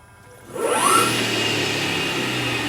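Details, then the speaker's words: AC50 motor with Curtis 1238 controller, 72 V nominal, switched to the second mode set to zero regen: sharp rising whir, then a steady, slowly fading hum with no braking drag. Motor freewheeling with regen off. "just freewheeling. Turn it back there, regen kicks in, drops it down. So no regen, regen."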